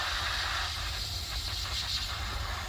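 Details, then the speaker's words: Peterbilt 379 at the cold-start check, dash panel pulled out: a steady sharp hiss of escaping air over a low engine rumble from the differential lock air line's quick-connect; reseating its lock ring stopped the leak. "now they got it pulled out you can really hear it and it's uh my differential locker axle lock right here"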